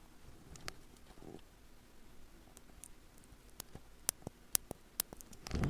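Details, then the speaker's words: Spectravideo SVI Quickshot joystick metal dome switch pressed repeatedly: crisp sharp clicks about every half second in a quiet room; dome snapping cleanly and working, though these domes are known to split and fail. "you can hear it. Just hear it clicking there. And that's what they did with them."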